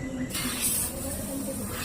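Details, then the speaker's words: Polytron single-door fridge, freezer evaporator not cooling, suspected blocked capillary: after welding, unit switched on and gas rushes through the line with a sudden steady hiss while flushing the pipe; refrigerant line flushing hiss. "jadi pastikan tidak ada yang menyumbat untuk melakukan flashing di bagian pipa"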